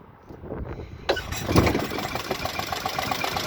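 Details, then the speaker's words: Traditional launch boat engine, first start after sitting, temporary water and gas tank: brief crank, catches in about a second, settles into steady even idle, a bit shaky as mounts need adjusting; normal start and idle. "running really nice a bit shaky because we gotta change uh i mean adjust the mounts a little bit"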